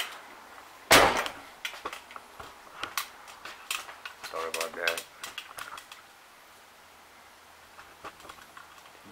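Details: 2008-2012 Ford Escape liftgate, tested after replacing the door latch/lock actuator: sharp latch snap, then light clicks and rattles as the gate pops free. The liftgate release now works properly.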